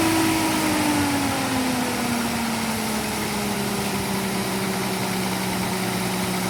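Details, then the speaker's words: Austin K9 vintage truck engine: uneven, lumpy idle with irregular thumps, sagging until it dies on its own; misfire and rough running, owner unsure whether from running out of fuel or the misfire. "So it just died on its own. I don't know if that's because I've run out of fuel or because of the misfire, because every time you could hear it thumping and misfiring, it was going all over the place."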